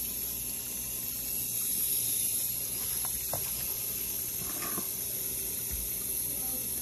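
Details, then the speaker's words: GE dishwasher GDP665SYN2FS after replacing stuck pressure sensor, test cycle with bottom cover off: steady hiss of water rushing into the tub with a few light knocks; normal water fill. "okay we're going to turn the unit on take a listen all right letting water in"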